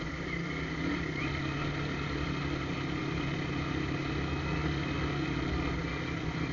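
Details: Shineray motorcycle, possibly a 2012, fitted with a sport air filter, on its first ride with a hole made in the exhaust pipe: a steady small single idle with a hollow, throaty roar and rasp above the normal note. Exhaust leak.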